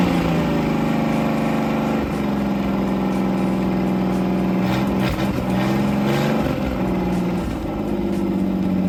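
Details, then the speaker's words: 1956 Graymarine 100HP Continental F226 marine engine after fixing no oil pressure by correctly seating the #3 cam bearing and cleaning the carburetor; even, steady mid-pitch run with constant exhaust note, small speed wobbles, no knocking, running properly. "but all on ain't bad sounds good she'll live again"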